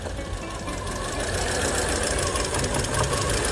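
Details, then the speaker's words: Car with only 20,000-30,000 km shaking hard at idle after starting: uneven, shaky idle with an irregular thumping beat of roughly three per second; a shop said the spark plugs need replacing, and the owner cleans carbon off them instead. "打着火之后特别抖。我把车子开到旁边那个修理厂去检查，他们说我的火花塞该换了，报价460。"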